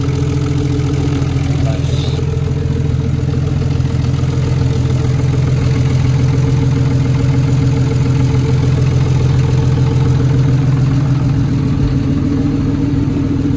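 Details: Nissan Skyline R34 RB25DET idling at first start after replacing the broken CAS sensor shaft and cam seals: steady, even low rumble with no knocks, misses or ticks; engine runs smoothly and healthy.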